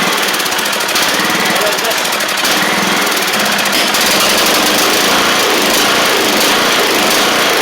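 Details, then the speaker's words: Troy-Bilt TB42 hydrostatic lawn tractor with 541cc Powermore single-cylinder engine, suspected bad head gasket; runs loud, harsh and uneven with a hunting beat; rough running, fueling suspected. "But when you get the when you turn the blades on, it smooths out."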